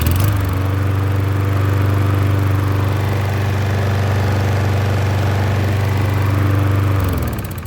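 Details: Troy-Bilt self-propelled mower with Briggs engine and key start, after replacing the leaking gasket on the carburetor bowl screw: run 40 minutes, restarted, steady even low putter with no surging or dropouts even when tilted high; normal running.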